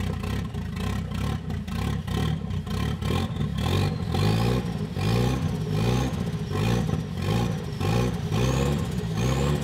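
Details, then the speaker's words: 1976 Volvo 240 with B23E engine converted from naturally aspirated to turbo: surges and stumbles under load with uneven, lumpy revving and a hollow rasp; owner suspects ignition timing went too far from TDC under load and is adjusting it. "i'm a bit confused the ignition timing at idle was good and under load it went if i could guess it it it went too far away from top dead center and which is the wrong direction if i'm going to run turbo"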